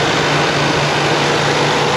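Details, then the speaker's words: Vintage Buick idling for a minute or two with the AC off on the panel: a steady even rush of air over a low engine hum as the cooling fans are already on; the mechanic guesses the owner wired them to run constantly. "Kind of strange, been running a minute or two and the fans are already on. So I guess he's wired them to run all the time."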